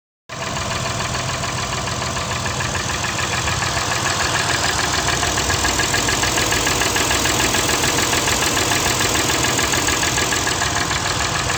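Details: 2008 Acura TL petrol V6 idling with a steady, hollow knock of three to four raps a second. The dealer diagnosed piston slap in cylinder 5; the owner suspected a bad valve adjustment instead.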